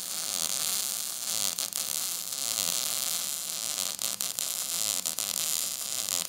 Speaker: you can hear some of the popping that was going on with that I was meaning I was hitting that men I was hitting some spots there for the most part that's not too bad of a a weld